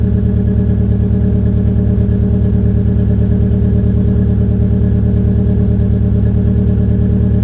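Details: 2004 Peugeot 807 SR 2.0 with EW10J4 (RFN) petrol engine, cold start with the rear silencer removed: lumpy, uneven rough idle at about three pulses a second, caused by tight valve lifters, a typical PSA EW trait. It starts smoothing as the engine warms.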